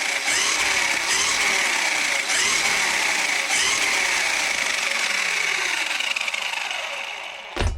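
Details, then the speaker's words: Hosim X07 RC truck on 2S battery after factory rear differential replaced: high electric whine rises and holds steady with no clicking or grinding; drivetrain running normally. "power the sign the power rev it up it's not bad man on that 2s pack"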